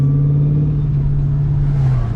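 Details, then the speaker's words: High idle after installing a 78mm BBK throttle body with a PI intake: a steady engine hum stuck around 2,000 rpm with no dip, and it holds about 2,500 rpm even in third gear. Owner hopes highway driving will correct it. "hopefully when i get on the highway and let it go through all the like rpms and revs that it will correct itself but man when i stop it like whoa it's crazy"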